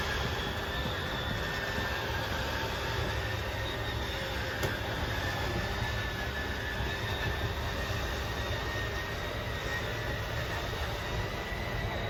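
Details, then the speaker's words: Jayco Jay Flight 34RSBS travel trailer slide-out extending on button hold: quiet steady motor hum with faint whine, even throughout, no grinding or straining yet; grinding only signals it's fully out. Normal slide-out motor running. "I'm just gonna hold until you hear a little grinding sound that's you know it's all the way out um obviously once you hear that noise let go of the button so that's all the way out run this one out as well"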